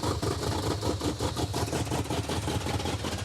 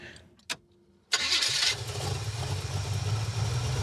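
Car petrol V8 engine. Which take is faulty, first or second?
first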